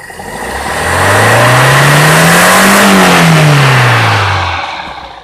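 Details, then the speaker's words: Toyota Kijang Grand, 5K 1500 cc carbureted engine with original 100/100 jets, after carburetor setting: revs climb cleanly from idle to high and fall back with no stumble or hesitation; the earlier fuel-delivery lag on acceleration is gone. "Pada dasarnya, dari rendah ke tinggi, jika Anda menginjak pedal gas perlahan seperti ini, ya, RPM stabil, tidak ada jeda, tidak ada keraguan pada mesin, putarannya naik secara spontan dari bawah ke atas begitu saja ."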